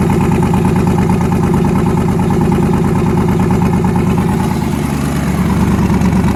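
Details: Newly twin-turbocharged engine, first start after conversion, lumpy uneven idle with a skipped exhaust beat about three a second; back cylinder misfiring, head gaskets done last year, fuel line weeping.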